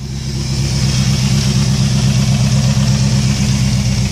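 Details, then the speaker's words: 2001 Jeep Grand Cherokee 4.7 V8, 219,000 miles, burns oil from bad valve seals, cold start after three months: deep loud rumble with low throb and some revving; loud because exhaust is hanging, frame broken. "ain't started this thing for three months and just say you know when I got to start it it is loud because the exhaust is hanging"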